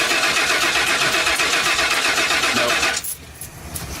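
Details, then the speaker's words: 1995 RV engine: even starter chugging about four strokes a second for three seconds, never catches; no pressure at the fuel rail, owner suspects the fuel pump is dead or not working; crank no start. "so I thought okay so a fuel pump is either dead or not working"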